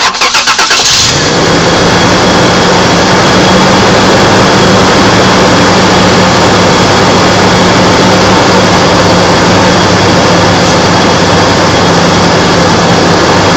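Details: Toyota T100 on a cold morning start, as it does every morning: engine cranks and catches, then settles into a fast cold idle with a faint high-pitched tone over it; the source is unclear.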